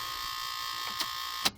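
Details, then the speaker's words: Old Suburban with stone-cold dead battery on a 12 amp charger: steady raspy electrical buzz, constant, then cuts off sharply; normal battery charger hum. "it's what AC sounds like going into a DC engine"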